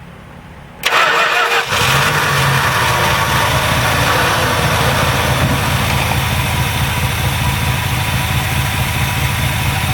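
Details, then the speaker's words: Edelbrock carburetor engine after in-place cleaning of the E10-clogged primary circuit, idling on little fuel: starts on first crank and settles into a steady, even idle, where before it wouldn't idle; normal idle. "there you go getting better that's no gas in there but it's getting better before i didn't even want to run an idle"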